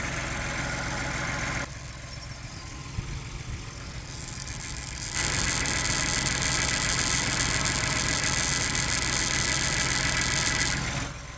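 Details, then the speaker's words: 2022 Ford Bronco 2.7L EcoBoost at idle, heard close up through a pipe or hose: a fast, even, loud plastic buzzing rattle from the PCV check valve ball vibrating, audible even outside the vehicle. It is harmless. "it's a what it is is like a ball in there in a check valve it's just bouncing really quick it's like vibrating it's more like a plastic vibration noise but it's really loud"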